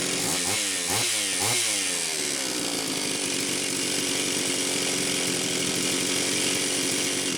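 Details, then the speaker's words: Homelite Super XL-925 chainsaw test run after a new piston and cylinder were fitted; the bearing was fine and there is a new seal. A few crisp throttle blips, then a steady even high rev with no stumbles. Compression is excellent, and the initial smoke was assembly oil burning off. It needs 20–25 minutes of idling to seat the rings. "okay Ken this is good excellent compression the initial smoke was the assembly oil burning off obviously this thing needs to idle a lot more"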